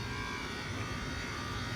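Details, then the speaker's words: Walk-in freezer compressor under heavy load, freezer running warm; harsh steady buzzing drone with a fixed whine, somewhat quieter as the load comes off but still rough and not expected to last; noisy compressor. "It still sounds terrible, but a bunch of the loads come off of that freezer, and it's gotten quieter. It was terrible before."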